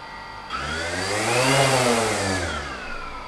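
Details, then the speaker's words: DJI Phantom after bearing oiling with high-speed brushless motor oil, propellers on, weighted down with scuba weights: motors spool up to a steady whine that eases back smoothly with no grinding. Smooth running. "now I've put the propellers on the drum and I've waited it down with some scuba weights so you can hear the sound of the motors now very smooth"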